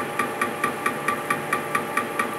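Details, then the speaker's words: Welded hydraulic displacement cylinder with no piston, being cut open by machining: a sharp metallic knock repeating about four times a second with each turn over steady machine noise; something inside may be slapping, cause unclear. "maybe that piston slapping inside of there i i don't know it's weird"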